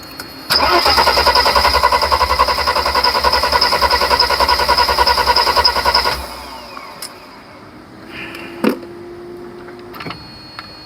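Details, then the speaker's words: 1991 Mercedes 300SL: fuel pressure is now present but the original hard start is back. Steady cranking at about 3.5 beats a second for roughly 5.5 s stops without catching, and fuel is not getting through the injectors. "Now we have fuel pressure. Are we back to the hard start?"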